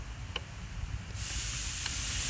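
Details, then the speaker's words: Radiator fans on high commanded through a scan tool: two sharp TIPM relay clicks about 1.5 seconds apart with no fan whirr after them. The relay switches but both fans stay dead; burnt-out motors or missing 12 V or ground are suspected, not confirmed. "That click, click. The TIPM is actually, the relay is actually turning on and off, signaling the fan to come on and off. Now, why isn't the fan coming on and off like it should?"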